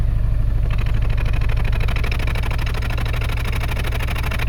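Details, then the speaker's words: 2012 Subaru Forester SH with EJ255 turbo, check engine light on after a blown oil hose, idles with a deep lumpy puff-and-drop exhaust rhythm, heard at the tailpipe: single-cylinder misfire, coil not firing. "Yeah, it feels like a single cylinder miss to me."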